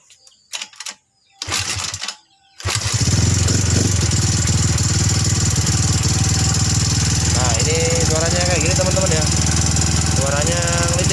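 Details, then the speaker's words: Rough, clattering tick and harsh idle from a Yamaha Mio M3 scooter, run without air filter and hard to start, after 58 mm piston, shaved camshaft and CVT tuning; piston fine, fault in valve and camshaft area. "teman-teman kasusnya ini ya teman-teman ya suaranya kasar ya suara kasar sama susah hidup teman-teman"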